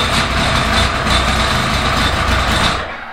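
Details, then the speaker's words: The Fighter just started after 5-6 months unused, carbs primed: busy slightly uneven cold-engine running right after startup that settles and fades; nothing abnormal, just cold. "Unbelievable. It's just cold, that's all."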